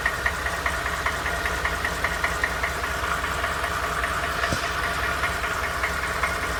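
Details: Used Ford F150, knock noticed after 1000 miles of ownership, going to the dealer; sharp regular tick-knock about two and a half times a second over a steady idle; cause unknown; engine knock.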